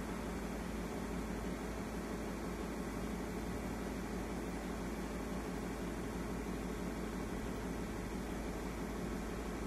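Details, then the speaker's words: Daewoo microwave oven after repair of door switches and misalignment, heating water: even, low, steady hum with no rattles or buzzing throughout; normal microwave operation. "ahí se ve un poco el vapor del agua de que está calentando el horno"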